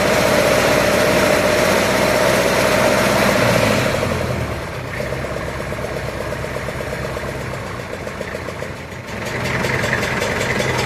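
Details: Massey Ferguson 65 diesel tractor after battery replacement, fast idle during alternator test: steady brisk even clatter, note dropping slightly midway then recovering; voltage reached about 13.2 then settled near 12.9–13, alternator charging; normal fast idle.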